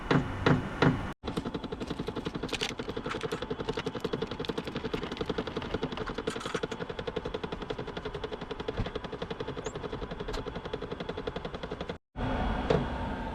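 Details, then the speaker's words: HCalory HC2 12V diesel heater (5-8kW) at startup on a chilly day, set to about 80: fan and fuel pump ramping up, fast even pump ticking over steady fan hum while priming; normal priming. "The fan's ramping up a little bit. Fuel pump's ramping up."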